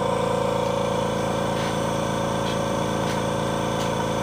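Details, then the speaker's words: Bella machine, aspiration mode, crystal mode, maximum pressure, handset occluded: steady pump hum with even pulsing about four per second, no rattle; primary vacuum 21–22 inches, good. "this tells us the primary vacuum of the machine which is 21 21 to 22 inches of vacuum okay that is a good number for this machine"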